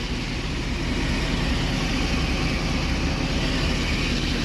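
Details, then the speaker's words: 2012 Ford F-350 6.7 Powerstroke diesel after new injectors, CP4 high-pressure pump and disaster prevention kit: steady even idle clatter with deep smooth rumble, no misses or knocks, CCV venting; no check engine lights after 3 miles. "But thing runs. CCV's chooching."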